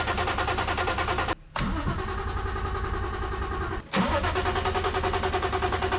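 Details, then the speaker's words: IS200 1G-FE engine newly fitted with 1JZ-GTE twin turbos: starter cranks steadily about three beats a second, pauses, cranks again, never catches. "Now the preparations were done, and it was time to hear how the engine sounds with twin turbos. But there was a slight problem. The engine would not want to start."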